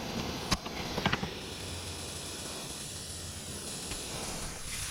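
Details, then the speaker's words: 1999 Ford during rebuild, fan/radiator/AC condenser removal: soft continuous high hiss with a few handling clicks as R-134a refrigerant bleeds slowly from an opened AC line as it discharges. "Hear that now? It's PPing. Just let it PP for a while. These are 134As, so they're not too bad for the environment."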